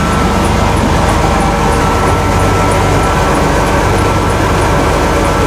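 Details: 1991 Ford F-150, 300 straight six at idle on a brief cold start: loud, raw, steady low drone with no muffling at all, because the exhaust system is missing.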